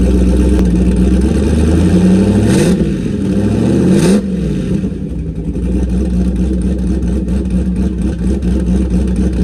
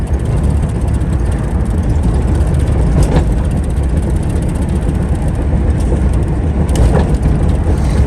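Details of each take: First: Car with new turbo and MAP sensor, started to check a leaking water pump gasket: two smooth throttle blips then steady even idle without stumble; running normally, no leaks so far. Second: Car on first drive with new turbo and new MAP sensor: loud steady engine and road roar on a hard pull under boost, then the engine cuts out, first time ever; owner suspects an untightened clamp.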